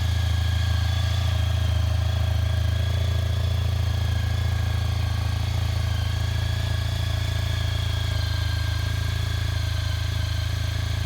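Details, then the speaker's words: 2003 Honda ST1300 ABS motorcycle after sitting about 24 hours, smooth even low rumble holding steady with no knocks, misses or hunting; owner says it always starts this way hot or cold and always ran beautifully: normal idle. "The bike hasn't been running about 24 hours. And that's how it always starts, hot or cold. Beautiful running bike, always has"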